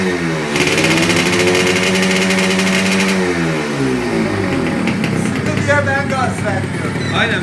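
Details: Freshly rebuilt Yamaha RXZ 135 two-stroke, throttle held back while new (needs 1500–2000 km to bed in): buzz rises on a short blip and settles smoothly, no rattle or misfire; healthy fresh engine.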